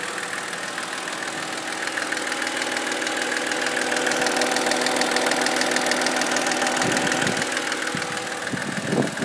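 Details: BMW X3 E83 2007, 2.5 L N52 engine at idle: sharp, even ticking-knock about 200 per minute over smooth idle, steady throughout; internal knock, cause unknown.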